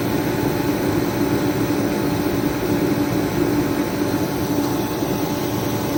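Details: Remington 135 (REMT-135T-KFA-O) forced-air heater, previously not igniting or spraying fuel, repaired and pump pressure being set to 5 PSI; constant roar with faint steady hum, no surging, pulsing or sputter; burning cleanly, normal running.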